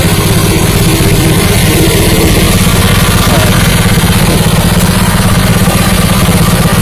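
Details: New Honda WL30XN 3-inch water pump with Honda GP160 5.5 hp engine: even, steady single-cylinder thrum at constant speed with no knocks, rattles or misses; running smoothly.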